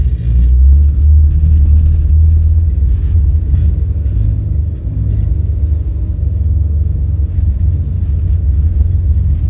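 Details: Volvo 8700 bus diesel with ZF Ecomat automatic that won't engage neutral at idle: deep, labouring rumble with slow, uneven pulsing, dragged near stall; too low rpm.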